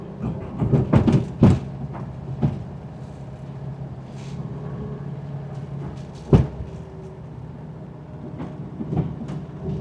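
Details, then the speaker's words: VW Baja Beetle driving, rear end feels very loose: scattered heavy clunks, some close together then a lone thump, over low road rumble; owner suspects the transaxle, not confirmed. "I'm gonna vote transaxle. It sounds to me like transaxle."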